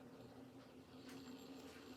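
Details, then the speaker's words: Edison Triumph phonograph spring motor after oiling shafts with sewing machine oil and STP on the gear, starting on one crank: quiet steady low hum with faint even gear whir, no binding; running freely. "And that's what it should do. That means everything's running smoothly. The springs are free. There's no binding in the motor."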